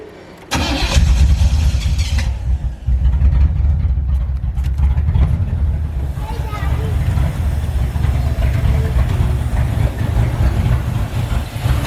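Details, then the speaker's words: 1985 Chevrolet Camaro IROC-Z barn find, stored about 16 years, new fuel pump hot-wired from the battery, not tuned and oil unchecked: short crank, then it catches into a loud, slightly lumpy idle with a little smoke; rough idle after long storage. "smoke a little bit out the back but she's running do you mind do I haven't tuned up anything check the oil or any of that sort of stuff but"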